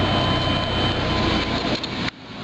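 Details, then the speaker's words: Safari van just after fuel pump replacement without dropping the tank: even, steady running hum with no loud pump whine or roughness, then it cuts off; new pump is quiet, old one was very loud. "I don't even hear the fuel pump holy that's quiet that's nice the other one was sounded like a tank it was so loud"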